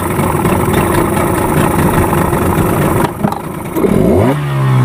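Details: Yamaha 15 hp outboard after repair of hard starting and no power from stuck piston rings and clogged exhaust: strong even idle dips briefly then picks up cleanly and revs without stumbling or knocking; starts quickly, normal running.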